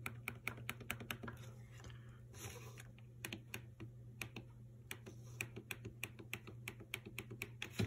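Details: Maytag dishwasher MBD8959SFH with the right side of the control panel sunk in: small sharp clicks over a low hum when the panel is pressed. The start switch works, but its plastic support has broken, so the start button collapses. Failed switch support.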